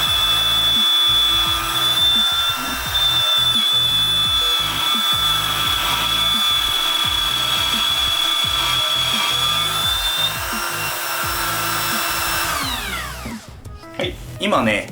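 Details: Cordless 18V Makita-battery trimmer router (Drillpro DC901-1) on a plunge base, making a 3 mm plunge cut. It gives a thin, steady high whistle that stops as the bit lifts out; the bit may be slipping in its collet.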